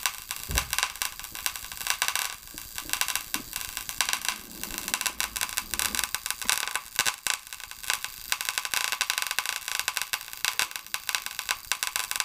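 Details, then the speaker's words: Paradigm PW-2100 v2 subwoofer amplifier, plugged in outside its case: sharp irregular pops and crackles, several per second, with smoke and an electrical smell from the circuit board; likely a short, a fire hazard. "as you see there that's what the noise is somewhere in that circuit board we're getting some cracking and some popping doesn't smell so bad smells like electrical letting the smoke out"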